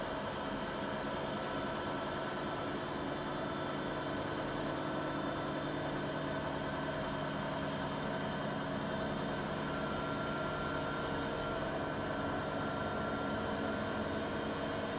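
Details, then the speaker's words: Siemens IQ300 washer (WG41A1X1TR, listed 9 kg/1000 rpm) on the spin program, rated 48 dB washing and 72 dB spinning: smooth, even whirr at steady pitch, no knocking, scraping or drum banging. Normal spin cycle, though the owner says it is not silent. "Makinemiz normal şartlar altında yıkamada 48 desibel, sıkmada da 72 desibel sesi mevcut."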